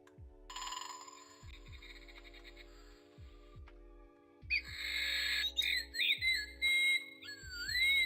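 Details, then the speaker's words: Clock after having an issue: soft ticking, then clear, unbroken chirping bird calls; the bird chime is playing back normally. "Seems to be working. Now it's working. We've got all of the bird sounds."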